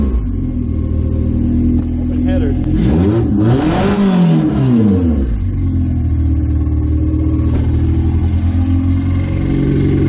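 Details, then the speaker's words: 1998 Honda CR-V running on open headers, with a new transmission fitted, during an oil pan gasket job. Loud raspy exhaust climbs smoothly through a quick rev and drops back to a steady, even idle: a healthy engine, just uncorked. "whoa sounds good right for open headers"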